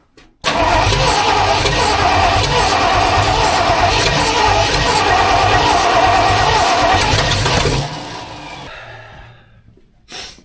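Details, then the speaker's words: Budget-build 302 V8 in a tow truck, first start attempt after clutch, flywheel and distributor install, with a little timing advance added: cranks about twice a second for seven seconds, never catches; owner suspects dirty plugs or incorrect timing. "It's super close, but something's off. I don't know if my plugs are just dirty as hell or if I'm off on timing and I just don't realize it or what, but I'm going to call it a night."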